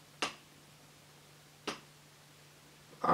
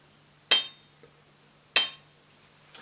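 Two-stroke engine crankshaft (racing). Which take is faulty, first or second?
second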